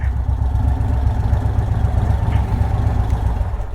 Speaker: The bike sounds good, it rides good, it's healthy.